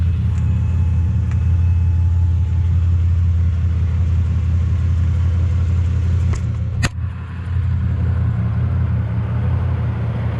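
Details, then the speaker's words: Impala idling after a shop replaced the holed, broken exhaust pipe, heard at the tailpipe: steady deep burble, even and unbroken with no ticking or puffing leaks, much quieter than before; normal idle after repair. "So big difference from before. You can hardly even hear it. Just give it a little bit of gas here."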